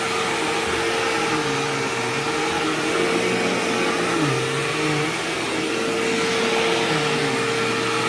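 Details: Sharp Twin Energy vacuum cleaner vacuuming a living room: a thin constant high whistle rides the steady roar, unchanged by pushing. The squeal faded after running a while and partly returned at shut-off; cause unknown.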